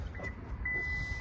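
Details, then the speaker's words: Toyota power liftgate opened with the kick sensor: a steady high warning beep over a low motor hum as the gate lifts smoothly, functioning as normal. "that opens it up, of course. And that's all functioning as normal."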